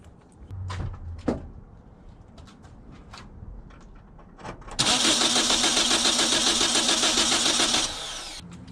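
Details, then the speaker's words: Car that starts only sometimes, cranking on a roadside call-out; fuel is ruled out, so it is spark or compression, and the spark plugs are suspected wrong. Starter cranks evenly about three and a half turns per second for three seconds and never catches. "It's not fuel, so it's spark or compression. I'm guessing it's these spark plugs aren't correct."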